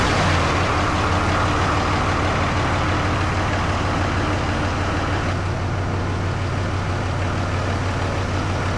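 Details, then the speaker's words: Truck fired up with the door open after the odometer was swapped from miles to kilometres: even, steady idle rumble with no misses or knocks, "runs like a feline"; no leaks so far, a little squeak noted; normal idle. "She runs just like some sort of a feline, eh? She runs just like a friggin' feline, boys."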